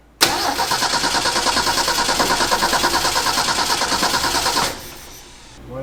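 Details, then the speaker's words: 1965 Ford F250 300 six, parked about 17 years, started with choke closed on "hot sauce" given through the carburetor vent tube: catches right away, runs rough about four seconds, then dies; owner suspects fuel not reaching carburetor, likely stuck float. "we're either not getting fuel up to the carburetor or float is stuck we're going with the float stuck"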